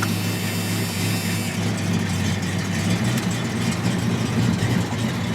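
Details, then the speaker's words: 1981 Ford Fairmont wagon, 5.0 V8 with T5 swap, on an old junkyard battery, cold start after sitting two days. It fires up nicely and settles into a smooth, steady low burble with no misfires or tapping, a healthy cold idle. "that fires up real nice so it's not been sitting for months like you guys have seen before"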